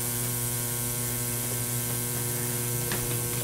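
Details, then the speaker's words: Ozone generator's ceramic corona plate, wired to 110 V AC mains, intended for fitting inside a Filtrete FAP02 air purifier. A constant mains-pitched buzz with faint crackly hiss from the corona discharge and a strong ozone odour; working normally. "you can hear the buzzing that buzzing sound it's actually coming from the corona on the ceramic plate"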